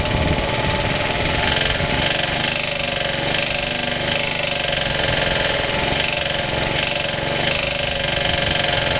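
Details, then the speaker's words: Suffolk small engine, first start after rebuild: runs steadily with a hard, regular, very loud knock over the note, not present before rebuild; compression good, cause unknown, owner suspects clutch or shrouding. "it never used to make that knocky noise so I don't know what the hell's going on"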